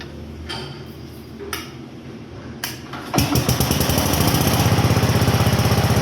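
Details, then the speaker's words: Onan single-cylinder generator, last run around 1983-84 and revived after decades, started and running under load from a charger and a drill: after some scrapes and clatter it thumps along steadily and evenly, working well though thirsty on fuel. "I'll say that it's not going to run very long off that tank this thing is thirsty but she works good"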